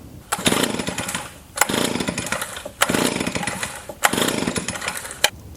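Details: Gasoline leaf blower, five sharp recoil pulls about a second apart; the engine turns over but never catches. It won't start because the fuel tank is empty.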